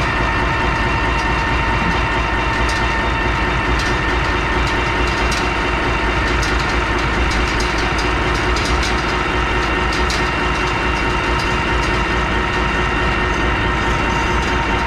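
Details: Loud, steady diesel run with an even drone and no knocks or misses after fuel filter change, run to purge air from the fuel system; engine running normally.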